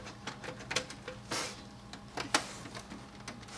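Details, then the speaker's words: Brother HL-5250 laser printer restarting after being switched off and unplugged for a reset: scattered clicks and snaps over a low steady motor hum as it cycles. This is a normal startup with no grinding. "it do its cycling, and you're ready to go."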